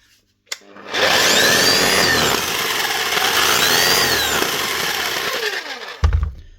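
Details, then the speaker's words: DeWalt D25810 chipping hammer before repair, running rough and spinning very fast: a harsh, gritty high-speed whirr with an uneven rough edge. A worn-bearing noise is heard. "And she sounds like it's rolling very fast as well. Right. Quick peek at the bearings first."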